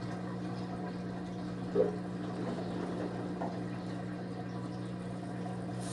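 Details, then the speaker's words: Washer with a no-water-entering complaint, draining during a small-load spin-and-drain test cycle: quiet steady low pump hum with faint gurgle, no grinding or rattling. Normal pump-out, water drained. "normal pump out sounds normal water's drained out"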